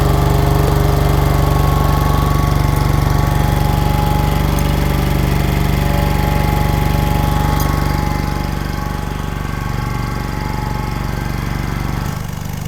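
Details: 1960s General Supply 260 air compressor, Kaiser Willys CJ2A engine firing on cylinders one and four, new electronic distributor, timing slightly tweaked: steady even thumping about four beats a second holding speed under compressor load; healthy.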